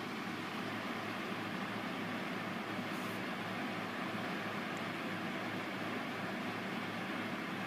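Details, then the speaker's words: Corsair Hydro H100 CPU cooler with stock fans in a Cooler Master HAF X case, under a maximum-heat stress test at 63–65 °C CPU: even, steady rushing air, fans at full speed and quite loud. "it's quite loud it's got even louder now and it's about 63 on the night went to 65 and drop down to 63 64 the fans are gone on full speed now"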